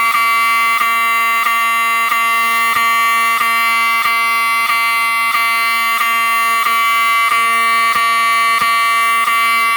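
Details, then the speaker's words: Wheelock 7002T-24 fire alarm horn, triggered by Fire-Lite BG-12 pull station, on a panel putting out filtered DC: loud, clean buzzing tone pulsing about one and a half times a second with no scratchy rasp, working normally. "if this thing was operating off of full wave rectified current it would make a really scratchy sound but the way it sounds it sounds normal and it sounds really clean so that's good"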